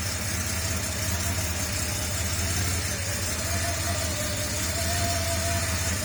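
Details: Porsche 930 Turbo, first start after fitting a RothSport oil inlet check valve to stop oil draining back and the morning start-up smoke cloud: smooth, steady cold idle with an even beat and a faint constant whine; healthy.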